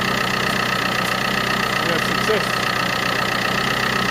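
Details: 2010 Vauxhall Corsa D 1.3 CDTI diesel after repairing a water-damaged ECU and clearing fault codes: steady, even idle with a constant hum and no misses or knocks; running normally.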